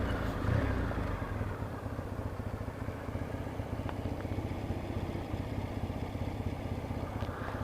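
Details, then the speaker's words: Triumph twin after carburetor tuning (needle position suspected), warmed up, throttle now responsive with no dead spot; steady even low thump idling just under 1000 rpm with no misses, normal idle. "Yeah, seems alright. Just done slightly under 1000 RPM."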